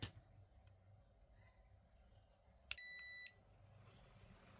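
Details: Toshiba rice cooker converted from 100V to 220V, blown fuse found: single sharp high beep, error alert persists after repair attempt; voltage fault suspected, cause unconfirmed.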